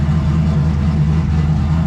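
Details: Brand-new small-block Chevy V8 after its oil-burning blue-smoke problem was fixed, running about half an hour. Deep, smooth, even burble with no knocks or ticks and no smoke: normal running.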